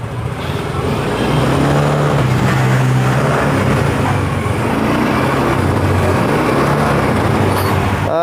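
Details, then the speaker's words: Yamaha Mio M3 125 scooter after replacing the piston (the engine had once run out of oil and the bore was worn), being revved with throttle blips: steady, even engine note, no hard knocking or rattle as before. Normal revving after repair. "halus ya mas bro kalau kita bandingkan sama kemarin ntar masih berisik sama suara motornya tidak ada suara ketukan yang keras seperti kemarin ya di sini sudah halus dan Alhamdulillah sudah normal lagi"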